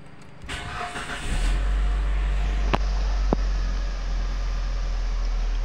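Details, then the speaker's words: Mitsubishi Grandis automatic after repairing torque converter (broken plate, cracked turbine) and oil leak, shifted into R and D: engine settles into smooth low hum with light clicks on engagement, no knocking; normal running in gear. "kita masukkan ke posisi di R dari CR kita masukkan posisi di Nah posisi ini normal"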